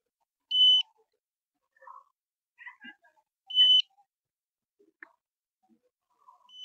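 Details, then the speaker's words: Satellite finder gives short high beeps about every three seconds in a quiet room, signalling lock on the 16-degree satellite while a dish is aligned for three LNBs (16, 28, 36 degrees). "Okay, so as you can hear from the BP, I've got in my 16 degrees angle."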